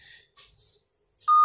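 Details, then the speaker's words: Laptop that displays fine at boot but beeps continuously until booting: short chirps, then a steady high beep. Cause unknown. "But this one, the laptop, it displays very well, but still continue to give the beep sound. So we don't know what might be the issue, but we are going to look at some procedure or step in which we can be able to diagnose this kind of error"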